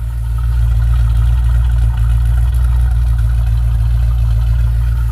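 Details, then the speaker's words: 1997 Land Rover 4.0 V8 with new exhaust, run after head work: deep, smooth, steady idle with an even exhaust note and no ticking or knocking; engine sounds healthy. "so there's the engine it's running and you see it sounds really great"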